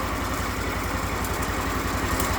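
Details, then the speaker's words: Briggs Vanguard repower in a Kawasaki Mule at first-run idle: a fast, regular rattling pulse over the exhaust beat; the source is unclear and the owner guesses the clutch. Otherwise very quiet. "Wow. I don't know what those noises are. I guess that's in the clutch."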